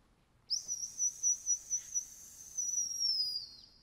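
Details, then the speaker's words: Top dead centre whistle screwed into number one spark plug hole while rotating engine to set distributor for Holley Sniper EFI; high whistle pulses about four a second then steady tone that cuts off at TDC; compression stroke whistle. "you screw it in place of the number one spark plug and as you're rotating around you're approaching top dead center you'll hear it whistle"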